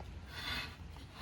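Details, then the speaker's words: Lawn mower flywheel turned slowly by hand with the cover off: a dry scraping rub swelling and fading each turn, the ignition coil touching the flywheel with no air gap; it needs re-gapping. "That is this grinding on this flywheel. That is not supposed to be touching."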